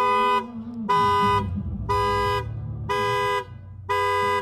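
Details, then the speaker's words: Tesla Model 3 intrusion alarm, triggered by shaking the car so a bag hung between seats falls inside: metal music plays, then horn blasts about once a second, loud over street noise; alarm working as designed. "L'alarme anti-intrusion, juste avant de déclencher les klaxons, vous balance une musique de métal."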